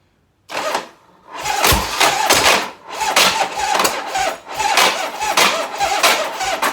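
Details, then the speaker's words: Cold 1985 Harley FXRS Evo, not run for three or four days, during carb jetting: soft, burbling, uneven exhaust pulses instead of a crisp note, with black smoke and eye-burning fumes; the carburettor is running too rich. "it's not hot the ends is not hot right now but I know I know it's too rich it's it's chuffing you can see a little bit there the black smoke coming out"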